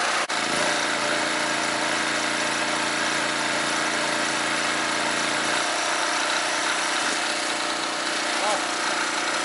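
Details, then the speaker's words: Scrapyard-rescued generator rated 3,000 W continuous, loaded with two heaters on separate outlet banks: steady drone drops in pitch and roughens, working near its maximum while the muffler blows out soot. "oh yeah now all that muffler is blowing stuff out oh it sounds like she's working pretty hard I guess it's working right at its maximum"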